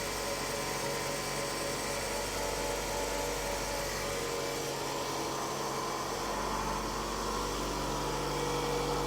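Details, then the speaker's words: 2007 Toyota Highlander 2.4L after new valve cover gasket, spark plugs, ignition coils, PCV valve, position sensor and oil change: smooth, stable idle hum with no ticking, misses or hunting, starting better than before; normal idle. "all right turns on better than before"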